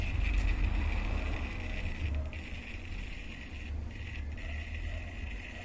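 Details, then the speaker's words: Mabe microwave, idle but plugged into mains: thin steady high whine over a low rumble from the control board, customer complaint of strange noise when connected; faulty buzzer on control board. "si lograron Escuchar el ruido bueno esa falla es problema en tarjeta"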